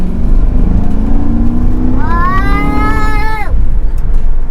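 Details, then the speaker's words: 2006 Mercury Grand Marquis driving with the AC off after an OEM dual-exhaust swap with the rear cats deleted. Deep, smooth rumble with one pull rising and falling, deeper but not loud: normal exhaust note. "sounds nice and deeper. Definitely like the sound."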